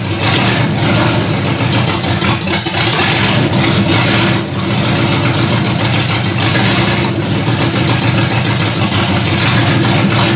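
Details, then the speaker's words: Ford Granada V8 after sitting, open headers: loud raw idle with an uneven, lumpy beat, struggling to hold steady; rough idle, cause unconfirmed. "Alright, I got it to idle on its own. I bumped up the idle speed a bit and pulled out the mixture screws some."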